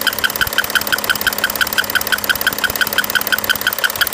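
Sharp, very regular metallic ticking, about three per second, over the running diesel; a clear knock with the cause not yet identified.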